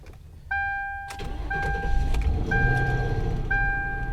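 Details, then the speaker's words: Cold start after fresh fluids: engine cranks and catches with a brief metallic rattle riding the start-up roar under a warning chime, gone almost immediately; some suggest timing chain, owner doubts it, cause unknown. "Still hear that rattle when it first starts up. I don't know, some of you had said that it's timing chain. I don't think it is, though."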